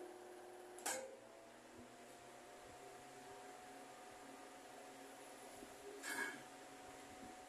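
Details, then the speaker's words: Mallory TS 40 fan on speed 3 with all three lamps on runs strong and quiet, a steady hum with no rattle; its noise occurs only on speed 2, and the bushing was replaced this week. "vou ligar as três lâmpadas o aparelho tá forte e tá silencioso"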